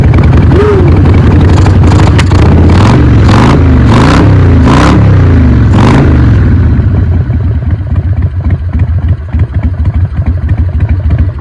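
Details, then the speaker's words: Carbureted single-cylinder bike unused for a few years, just started on fresh fuel with choke: several throttle revs, then a lumpy, uneven idle; running slightly rough, expected to clear with fresh fuel and riding. "Perfect, you can tell it's running a little bit rough, but I'm sure it'll clear out with some more fresh fuel, a couple of rides."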